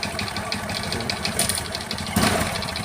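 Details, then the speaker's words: Honda Supra X 125 idling, engine rebuilt only a month ago: loud sharp tek-tek tick keeping pace with the firing beat; clearly worn, loose piston slapping. "itu udah jelas pistonnya ngetek banget ya teman-eman nah jadi suara itu seperti ini"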